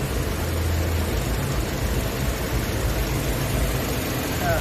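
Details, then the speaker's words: Honda engine swapped in, second-hand, previously hard to start and loud, running after adding EZI LUPRO MAX PLUS engine additive: steady even idle rumble, gradually getting quieter with less shaking, no knocks or ticks. "เนี่ยเห็นมั้ยเครื่องมันจะค่อยๆเงียบค่อยๆเงียบค่อยๆเงียบเห็นมเห็นมั้เครื่องจะไม่ค่อยสั่นแล้วเห็นมั้"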